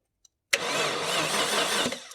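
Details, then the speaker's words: Maserati 3200GT, starter triggered by bridging terminals with a screwdriver: engine turns over in a sluggish, even churn under two seconds without firing; cranking speed too low. "Yes, it is. That's working. Not cranking very quickly, but that's a"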